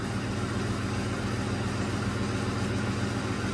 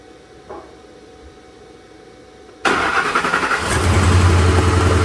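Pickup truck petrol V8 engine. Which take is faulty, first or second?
second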